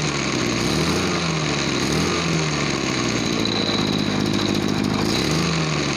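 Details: Small two-stroke crop sprayer engine, previously lacking power on throttle, after carburetor cleaning and mixture screw adjustment: steady buzzing with slight rise and fall in speed, no stumbling or bogging; runs cleanly.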